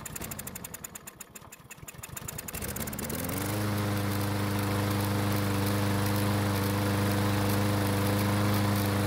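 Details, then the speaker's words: Lawn mower that won't start after storage, primed with fuel from a bottle: slow, ragged pulls and uneven firing for about three seconds, then it catches and runs on its own with the choke flap closed; hard start with stumbling, cause unconfirmed. "so it started but it took off rather slowly but once it got going it stayed running without any help from me"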